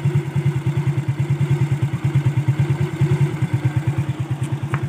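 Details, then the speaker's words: Motorcycle single at idle after fitting a new chain and sprocket set to replace a chain close to snapping: steady even thump with no rattle, slap or clatter from the chain; the new chain runs quiet. "So ayan guys, bali napakabit na natin yung bago nating kadena. And di na siya maingay guys."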